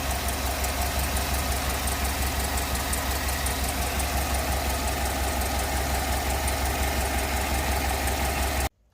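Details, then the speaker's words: Cammed Tahoe after DOD delete and tune: quiet, even idle with a sharp tick about three per second in time with the engine; owner suspects exhaust or header gasket leak, not confirmed. "the engine just sounds like really quiet just except for that part"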